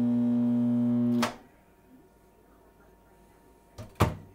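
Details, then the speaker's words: Whirlpool MH7140XFB over-the-range microwave before repair: loud harsh buzz about a second, cut off, then two clunks, with a hot smell; suspected faulty magnetron, high-voltage capacitor or diode. "it puts out a real loud buzzing noise so we're gonna see what it sounds like right now before i fix it"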